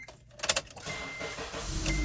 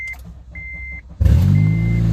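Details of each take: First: Car after replacing a stolen catalytic converter, front sensor not yet installed so check engine light stays on: engine fires and settles into a soft even run without exhaust rasp; exhaust now much quieter and sealed. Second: Honda Element with a stolen catalytic converter, before the new converter is fitted: a couple of chimes, then the engine fires into a loud, deep, raw buzzing exhaust roar; loud exhaust from the missing catalytic converter.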